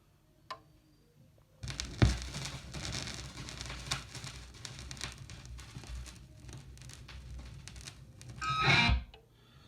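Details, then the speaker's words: Vinyl LP of Mötley Crüe's first album before cleaning: rock music with constant crackle and scattered pops from dirt in the grooves. "the first clip and as you can see it is pretty noisy"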